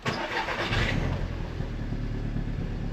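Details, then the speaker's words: Audi TT after refitting old injectors, spark plugs and coils: starts and settles into lumpy uneven idle, much better than before but still misfiring on cylinder 4 plus random misfire; cylinder 4 has low compression. "Oh, that sounds much better. It's definitely got a misfire, but Oh, that is so much better."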